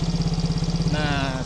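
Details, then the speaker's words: Yamaha motorcycle after a manual ISC reset (key on 10 seconds, off, repeated): idle now stable and even with quick regular firing pulses, no longer rising and falling as before. "Dan sekarang nah untuk stasionernya sudah stabil ya, tidak naik turun seperti yang di awal tadi."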